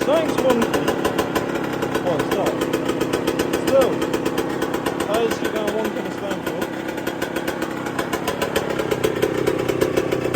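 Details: 1999/2002 Yamaha YZ125 converted to YZ144 two-stroke, first start after full restoration and carb rebuild kit, engine not yet hot: sharp rapid even crackle in a steady rhythm, no misfire or stumble; normal clean running.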